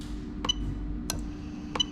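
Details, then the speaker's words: Toyota Altezza with J160 gearbox, hard-wired 1998-2000 LS400 1UZ-FE VVT-i engine harness, fuel pump active test from scan tool: three crisp relay clicks over a faint steady hum of the fuel pump running; normal relay switching and pump operation. "so as i do this boom you can hear the relay click"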